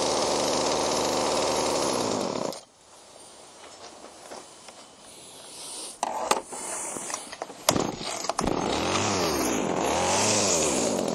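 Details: Chainsaw with the carburetor being adjusted: steady, fairly fast buzzing idle for a couple of seconds, then it cuts out; sounds healthy enough while running.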